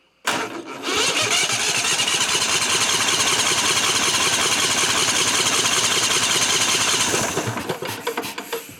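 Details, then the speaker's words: 1998 Briggs & Stratton Vanguard 16HP horizontal-shaft V-twin (model 303447) cranked steadily about seven seconds with even chuffing, never catching. Cranks but won't start, fuel starvation from cracked fuel pump vacuum line. "Alright, so I figured out the other problem. It wasn't getting fuel to it. I took the line off going to the carburetor Hooked another line to it, and there was no fuel at all coming out when it was cranking over."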